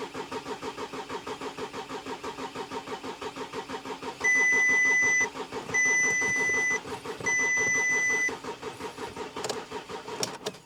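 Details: Volkswagen Touareg V6 diesel non-runner bought from a pub car park, fuel pump suspected, cranked again after clearing fault codes: starter gives an even chug of compression pulses broken by dash chimes, and it never fires; fuel rail pressure to be checked.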